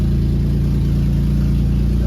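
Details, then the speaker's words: Nissan G35 VQ35DE, not yet at operating temperature: steady fast smooth idle over 1,000 RPM; idle relearn pending to bring it to 650–700 RPM. "Right now it's sitting at a like it's gonna be at like over 1,000 RPM. It might even stay at like 900, 800 once it gets operating temperature. That's why we're gonna do the idle relearn, and then that should correct it down to the 700 to 650 idle that it should be at."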